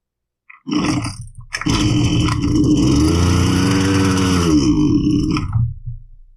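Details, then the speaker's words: Husqvarna 329L two-stroke string trimmer with fresh fuel, test run after priming: it fires, runs briefly with a sagging, wavering pitch, then bogs and dies as if out of fuel. The cause is a loose carburetor intake insulator leaking the crankcase pulse. "well if you listened to when I ran it it wasn't having a fast idle problem like it was sucking air and running lean it was running like it was running out of fuel and dying"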